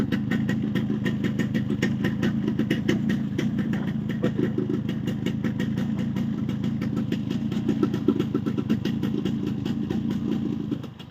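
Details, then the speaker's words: Yamaha RX135 two-stroke after block refit with ports matched using packing and tight piston checked, idling: even low burble, light exhaust rasp, no top-end knock or rattle; engine noise cut about 90%, remainder attributed to aftermarket silencer. "आप देख सकते हैं 90% engine की noise कम हो गई है और ये जो 10% बचा कुछ आवाज़ आ रहा है ये आफ्टर मार्केट साइलेंसर का है।"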